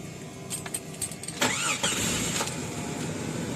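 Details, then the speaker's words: 2000 Jeep Cherokee XJ, original 4.0 engine, automatic, petrol plus LPG injection, new battery, cold start not warmed up: brief crank, catches at once, settles into smooth steady idle, no shaking, misses or knocks; normal cold start. "แล้วนะครับเครื่องนี่ยังเย็นอยู่นะครับไม่ได้วอร์มมาก่อนนะครับนอนไม่ไววใจไม่ยอมเดี๋ยวดูเครื่องกันนะครับเครื่องนิ่งดีนะครับรอบเครื่องอะไรไม่มีสั่นนะครับเสียงเครื่องก็ประมาณนี้ครับ"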